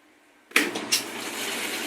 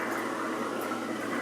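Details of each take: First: Magic Chef washing machine on spin/drain: water sloshing over a low steady motor hum that drags then cuts out abruptly; worn motor bushings stop the rotor turning freely, fixed by rebushing the motor. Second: Magic Chef washing machine after motor repair (seized rotor bushings replaced), draining and spinning a heavy load of blankets: steady, even motor hum with swishing water, no bogging or shutdown. Normal motor under load.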